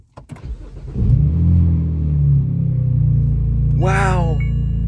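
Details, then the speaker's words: Engine starts and settles into a low, steady, quiet idle with no raspy puffing after four exhaust rust holes were patched without welding; idle slightly off from added back pressure. "Oh my god, it's way quieter. I can't believe how much quieter this is."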